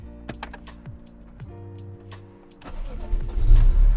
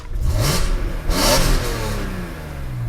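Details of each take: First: BMW E46 M3 warm start at full oil and coolant temperature: starter turns briefly, engine stumbles around 500 rpm before catching and rising to a rough rev; hesitation only after warm-up, otherwise runs fine, cause not found. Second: BMW E46 M3 straight-six, fully warmed with oil and coolant at temperature, free revving: crisp metallic rev rising and falling smoothly, no knocks or rattles; engine healthy, VANOS revised.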